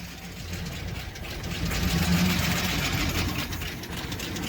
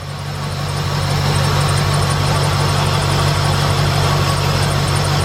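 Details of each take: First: 2007 Chevy Express 3500 van V8 at idle with a little throttle: a quick, light ticking rides over the exhaust and picks up with gas. No smoke, and it runs smooth; the owner had hoped it was a pulley. Sticky lifter tick. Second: 2007 Chevy Express 3500 V8 that had a sticky lifter tick, idling after a Motor Medic engine flush: even, steady idle with no ticking from the top end at all; normal idle.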